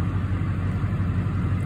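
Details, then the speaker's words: 2006-07 Duramax LBZ diesel in a Chevrolet truck, cold start at about 70°F with fresh oil, 340 miles on it: programmed high idle at about 700 rpm (normally about 500). Deep, steady, even thrum with no knocks or misses; healthy. "you see the truck is cold and this uh this is a fresh oil change too"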